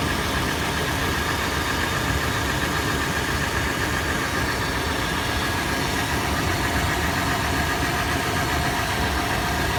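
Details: Toyota FJ after a warm start, heard from the interior, exterior and engine bay: fast, busy tapping clatter over an even idle during initial warm-up. Tapping is faster in park and neutral, slower in drive under load. Cause unknown.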